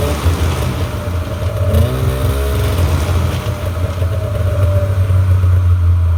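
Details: 1997 Polaris Indy 500 two-stroke snowmobile, after suspension rebuild and track adjustment, track spinning free: steady low even drone, no knocking or scraping; runs healthy.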